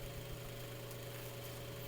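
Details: Mainstays 9-inch high velocity fan on medium after oiling and blade balancing, still moving a lot of air; steady low hum with an even airy whoosh, no ticks or wobble; healthy motor running smoothly.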